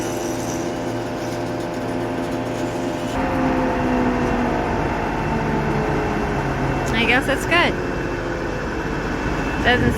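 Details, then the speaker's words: Forage chopper blower chopping fourth-cutting alfalfa, after grinding off a shifted weld/paddle that rubbed and ticked: steady even hum, no rhythmic ticking or rubbing; runs smoothly after the fix. "first field went smoothly after we got the ticking sound taken care of which I don't really know what caused it something must have shifted just a little and it was rubbing"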